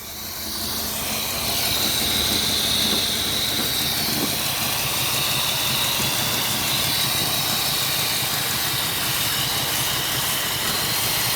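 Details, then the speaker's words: 1970s Pontiac Phoenix long off the road, first start and warm-up: loud steady airy hiss over an uneven lumpy idle; large vacuum leak suspected, possibly at the carburetor, not confirmed; one spark plug wire's seating also uncertain. "we have a vacuum like somewhere that's pretty horrendous where is that at"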